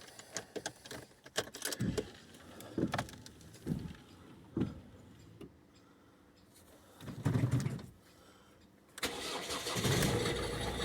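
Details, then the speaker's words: 2009 Ford Focus Mk2 1.6 TDCi diesel: cranks and catches, then irregular knocks and clatter over a rough idle; owner suspects an engine mount, no fault codes, no oil-water mixing, normal consumption, drives normally, rattle quieter at higher speed. "ist das das Motorlager oder so wahrscheinlich was so am klappern ist weil ich habe keinerlei Fehlermeldung"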